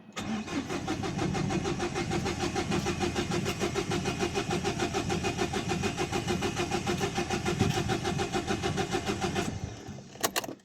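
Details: 2011 Dacia Sandero Stepway 1.5 dCi diesel that would not start in the morning: steady starter churn at about two turns per second for ten seconds, never firing; rail pressure sensor fault code, glow plug light also not behaving normally.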